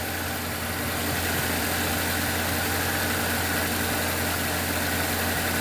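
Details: 2007 Nissan Y11 Wingroad QG15DE cable throttle, warm, idles steadily but high because a burnt ECM driver for the idle air control valve leaves it stuck open; also running rich from a stuck fuel pressure regulator.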